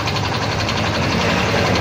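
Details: Yamaha Mio i 125 scooter at 2,641 km, idling: a rough, loud engine note with a quick, regular metallic knock from a worn connecting rod and crank bearing, not the tensioner another mechanic blamed.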